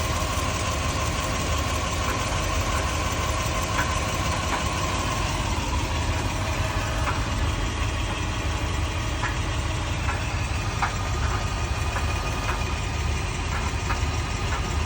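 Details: 2001 Toyota Sequoia 4x4 V8 idling with faint, irregular clunks and knocks through a deep rumble; owner unsure whether it is the transfer case or noise echoing down the drive shaft.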